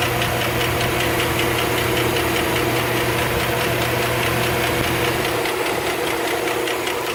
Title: Lifter Tick 2008 Suburban